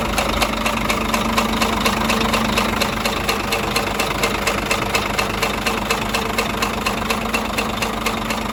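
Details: Scania DC13 truck diesel at steady idle with a sharp, regular tick-knock about twice a second from cylinder 5. Camshaft undamaged; the knock came from broken, unbolted rocker arms moving freely and marking the cover.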